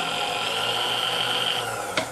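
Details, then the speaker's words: Vintage Sunbeam Mixmaster Model 10 that would not run, after the cord was replaced and the mixer serviced: even motor whine holding one pitch, then a click and spin-down, the motor running normally. "I'm gonna go ahead we're gonna plug it in and hope we get a different result this time haha"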